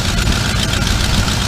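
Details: 1988 Chevy Custom Deluxe 30 square-body truck: deep, even V8 burble at idle with a steady beat, no misses, knocks or ticks; a smooth, healthy idle.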